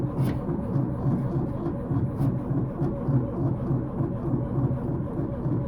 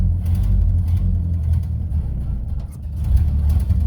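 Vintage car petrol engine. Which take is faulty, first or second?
first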